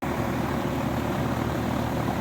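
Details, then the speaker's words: Home AC condenser fan after oiling the dry, squeaky motor bearings and cleaning the coil; smooth, steady whoosh and even motor hum with no squeak or scrape, quieter than ever. "okay she's back up and running and that's about as quiet as I've heard it"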